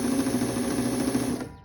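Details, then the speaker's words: Vintage Viking Husqvarna 33-10 sewing machine after cleaning and tension unit repair. Quick, even whirring stitch rhythm with no knocks or grinding, winding down smoothly; normal stitching. "so so this is what it sounds like isn't that nice at night"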